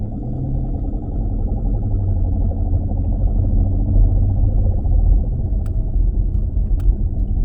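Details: 2016 Dodge Challenger Scat Pack while driving: deep, steady droning rumble underneath from a bad driveshaft carrier bearing. Fix is to remove the exhaust and driveline and replace the carrier bearing.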